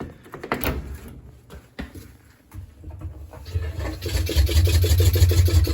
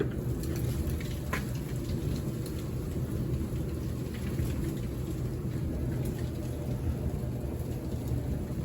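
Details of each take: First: Kenmore 700 series dryer making a loud metallic scrape about three times a second as the drum spins; the belt was also found split. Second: Kenmore 700 Series dryer, previously making a loud metallic scraping noise when spinning, after cleaning out lint and cleaning the wheels and belt tensioner: steady, even low tumble rumble with no scraping. Normal dryer operation.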